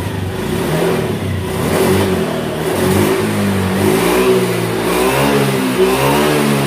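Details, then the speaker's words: 2018 Honda Beat scooter that lost power at high rpm from a faulty TPS, after the TPS workaround fix: revs up cleanly and pulls smoothly through the range with no stumble or flat spot; throttle response healthy. "oke sudah mantap jadi begitulah tadi cara mengatasi TPS yang sudah rusak ya"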